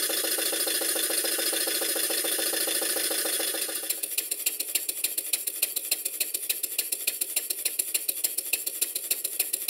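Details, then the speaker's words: Stuart Number One model steam engine after adjusting the main bearing top caps and reversing lever travel: crisp, evenly spaced exhaust beats about three and a half per second with no knock or clatter; it now runs much smoother. "now having given the bearing top caps some attention you can hear how much smoother the engine is"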